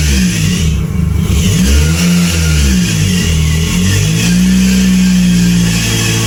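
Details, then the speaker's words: Mitsubishi Evo during build before dyno prep, running after first fire-up with fuel pump on and fuel pressure up; catches and revs up and down cleanly with smooth pitch and no knocks or misses. Normal running, though alternator not holding good voltage. "But overall, like everything else, it runs good. It sounds good. Um, it just overall feels good. Starts up on the dime every single time now. Nice and smooth."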